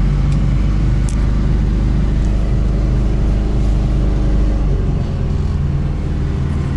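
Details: ZAZ 968M after sitting idle, started once the lower rubber gasket stuck to the spring in the heat was reseated. Low, steady engine rumble settling a little lower near the end, no stumbling or knocking; it is running normally.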